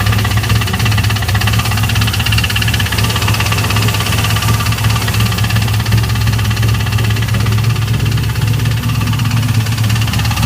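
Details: 2002 Camaro Z28 at idle: loud, fast, fairly uneven knock about three times a second from the bottom end. This is engine knock; a spun bearing is suspected, not confirmed.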